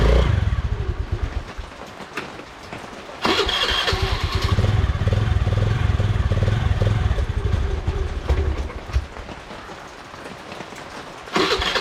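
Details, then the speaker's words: Honda Dio scooter after starting-problem repair: plug cap reconnected until it clicks; fires up and settles into a steady putter with a brief throttle blip; normal start and idle. "അപ്പൊ നമ്മുടെ വണ്ടി start ആയിട്ടുണ്ട്"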